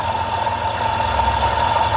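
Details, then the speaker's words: Van idling after radiator and thermostat replacement, heat on high: steady mid-pitched whine over an even idle, sounds like it comes from the exhaust; owner suspects the heater or a vacuum leak, whine fades somewhat, cause unknown. "Alright, so we still got some kind of weird ass noise. Y'all hear that? Sound like my exhaust"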